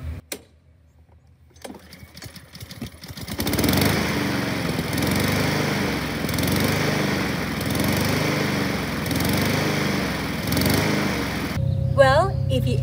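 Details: Honda HRN 216 walk-behind lawnmower, a few months old: engine runs unevenly, speed rising and falling in waves; rough idle/surging from a clogged pilot jet on top of the carburetor.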